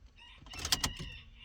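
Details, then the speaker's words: Budget K24-swapped Honda Civic after clearing codes and adding a valve cover ground: at key-on a short fuel pump whir swells and dies within a second, priming normally. "Oh, that fuel pump. I saw it. It went shroom and then back down."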